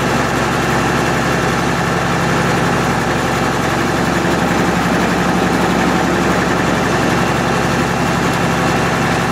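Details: MEP-006A military 60 kW diesel genset, first run after sitting 3+ years, enclosure doors open, circuit breaker off: heavy, steady, unbroken diesel drone, no knocks or misses. Sounds healthy; frequency reading not displaying correctly.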